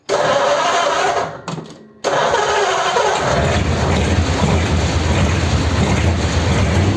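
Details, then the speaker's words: First start of a freshly built 286 cu in flathead (3-3/8 in bore, 4 in stroke) Pendine beach race car on raised fast idle: it runs rough and uneven with popping backfires because the number three and four plug leads were swapped. "okay okay there's a backfire so i'm gonna check the plug leads yeah okay i've got these two swapped over number three and number four"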